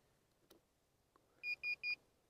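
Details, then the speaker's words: DJI Phantom 1 drone remote controller switched on before the drone is plugged in: three short, even high-pitched beeps with a green light. Normal power-on beep. "beeps green light everything's good"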